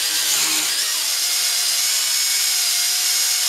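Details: WLtoys V262 quadcopter at full throttle: high-pitched brushed motor whine with pitch sliding up and down unevenly; a newly replaced motor failed after a couple of flights and surged erratically.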